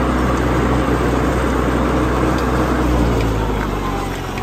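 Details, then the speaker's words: 1955 Farmall Cub tractor running under way after transmission oil change; earlier vibration from the torque tube is gone, only normal slight hydraulic sound heard. "now there's nothing it just sounds normal I hear the Hydraulics a little bit like you typically would with a farm haul but I don't hear that vibration"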